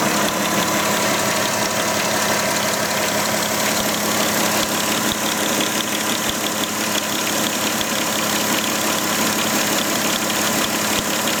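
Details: VW Touareg engine at idle: an uneven clatter over a steady idle with a buzzy upper edge; abnormal noise whose source cannot be determined.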